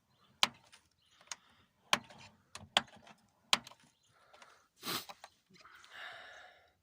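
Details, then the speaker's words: Lada Kalina door: creaks and clicks through its detent stops as the dry door check strap squeaks; fix is lubricating the check straps or replacing them with plastic Granta ones. "вот этот ограничитель вот он и скрипит по крайней мере у меня в колене"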